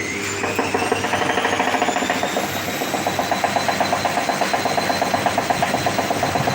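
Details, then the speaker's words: Drean washing machine in spin/balancing gives a rising motor whine with fast, uneven knocking following drum speed; shock absorbers are new, counterweights tight, so drum bearing moving in the housing or a broken spider arm is suspected, not confirmed. "escucha bien podrías decir que amortiguadores son no los amortiguadores no son porque son nuevos los contrapesos están bien apretados O sea que tampoco viene por ahí o sea que yo tengo la sospecha de que mi rodamiento está Tac Tac moviéndose dentro del encamisado"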